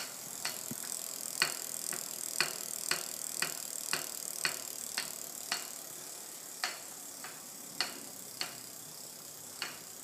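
Sharp, dry ticks from a bicycle, about two a second, with spacing that drifts and spreads out later.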